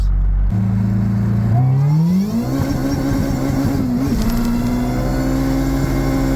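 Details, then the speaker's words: JRSC-supercharged Del Sol, freshly retuned, full-throttle pull through the gears to 8,100 rpm at 16.1 psi boost: supercharger whine climbs steadily with revs, no belt squeal or chirp; belts not slipping, drive holding firm. "At 8,100 RPM, we're making 16.1 lbs of boost, which is pretty good. And we can see nice linear flat line. Belts were not slipping, which is extremely impressive."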